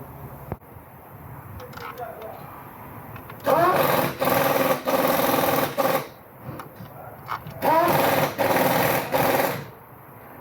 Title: Lexus Ls460 misfiring GDI Injector broken